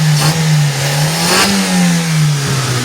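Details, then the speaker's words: Mitsubishi Lancer "pizza" carburettor type after carb overhaul, cleared clogged intake manifold lines and ignition timing reset from 3° to 8° BTDC: revs up and eases back smoothly, even tone, no stumble, strong even with AC on; earlier misfire/low power fixed. "Maganda na yung andar niya. Kahit naka-aircon ah panalo na. Kumbaga solid na yung takbo"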